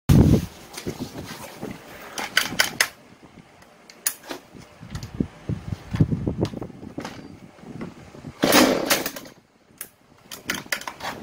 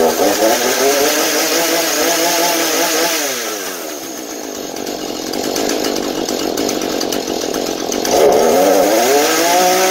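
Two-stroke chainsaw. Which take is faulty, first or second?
first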